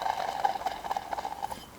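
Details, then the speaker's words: 1979 MG Midget 1500 alternator removed and spun by hand: gritty, uneven whirring rattle as it coasts down; previous garage said its bearings were going. "Oh, can you hear that? So, the last garage did say that the bearings on this were going."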